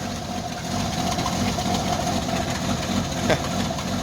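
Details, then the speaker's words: Carbureted Jeep Wrangler YJ at about 25 degrees just after a cold start, idling with a dull, lumpy, uneven low rumble while shaking and rocking. Owner suspects an exhaust leak; rough cold idle, cause unconfirmed. "She is a shaking and a rocking. I think I got an exhaust leak. I think I got an exhaust leak."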